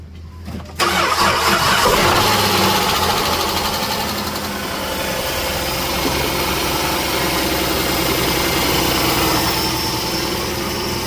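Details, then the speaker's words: 2008 Dodge Journey, metal filings found in drained oil: engine cranks, catches and idles with a steady metallic knock about four per second; suspected rod knock or main bearing failure. "The call in on it is to diagnose an engine noise. Suspected uh rod knock uh main bearing failure or something like that."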